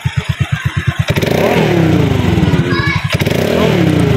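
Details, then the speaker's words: Honda Click V2 scooter started after an oil-change reminder reset: distinct cranking puffs catch into a smooth idle, then a light throttle blip rises cleanly; normal idle. "Okay. Maandar na yan."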